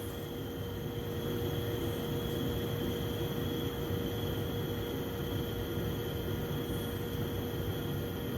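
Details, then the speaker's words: Carrier furnace after replacing a pressure switch stuck shut that caused code 23 no-heat; inducer motor starting to purge unburnt fuel before hot surface igniter and flame; steady, even air rush, faint constant hum, no clicks or surging; normal furnace operation. "inducer motor just started that's going to clear out any possible unvert fuel or anything that could be in there"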